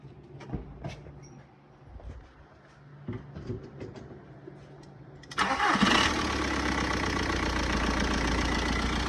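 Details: Mk4 Jetta TDI diesel first start after EGR delete, timing belt and water pump job, oil change and coolant top-off, timing set: some clatter, catches at about five seconds, then a steady, even diesel idle; runs healthy.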